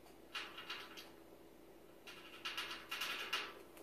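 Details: Samsung gas range switched off at 4am making sharp light clicks in uneven bursts of three to five in a quiet room; cause unknown.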